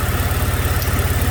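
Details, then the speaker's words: 2006 Chevrolet Malibu 2.2 Ecotec four-cylinder, P0300 with cylinders 1 and 4 dead; low, lumpy chugging idle; ECM sends 5 V trigger pulses but module or coil not firing, testing confirms failed ignition control module. "the ecm is telling the ignition control module to fire the coil but either the module has failed or the coil has failed"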